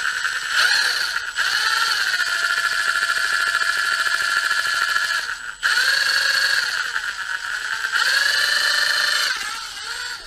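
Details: Milwaukee M18 FID Fuel impact driver making a strange high whirring whine with a squealing edge in bursts on each trigger pull; owner doesn't remember it sounding like this, suspects earlier damage to the top on arrival; cause unknown.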